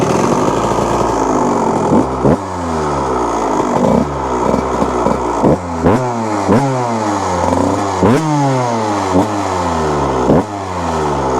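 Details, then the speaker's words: 1998 Kawasaki KX125 two-stroke after rebuild, first ride: crisp ringing through repeated rising blips with clean drops back; had run rich, now tuned and runs good, probably still a little rich, smokes little, bogs slightly. "That's more a personal thing, because this bike had been running rich when we got it, and finally, after tuning it and getting it right, it now runs good."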